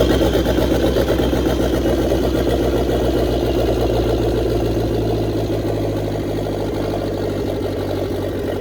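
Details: 1927 Ford roadster with a 2.3 L turbo engine, after a major overhaul and fuel system repair, with an ECU and auto fan switch: it catches and settles into a steady, even idle of about 220 beats a minute with no stray knocks; normal idle.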